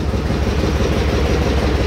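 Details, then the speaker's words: Trailblazer 5.3L after AFM delete, idling after partial weld repair of exhaust pipe: low rapid breathy puffing in time with idle; exhaust pipe leak, not manifold, still present, grease burning off manifold. "But we're out of... manifold leak. That's actually a pipe leak."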